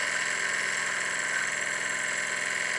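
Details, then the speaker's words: Live steam test of a Victoria steam boat's steam plant at about 40 PSI: quick, even hissing chuff at roughly three to four beats a second with no knocks or misses; the engine runs smoothly, with only a leaky displacement lubricator valve. "the Steam Plant was in Steam for about 15 minutes with no problems whatsoever"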